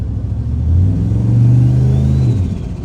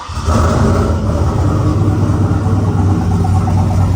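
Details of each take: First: 2003 Silverado with Escalade swap, 6 L LS, 243 heads, stage 2 cam, GT45 turbo, AWD, after fitting an FTI 3200 stall converter: light throttle tap brings a quick rise and the turbo starts howling with a rising whistle; normal turbo spool. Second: 2003 Silverado (Escalade-swapped) with a 6 L LS, 243 heads, stage 2 cam, GT45 turbo, AWD, first start after installing a 3200 stall converter: loud, raw idle with a puffing, ticking edge; pretty good exhaust leak.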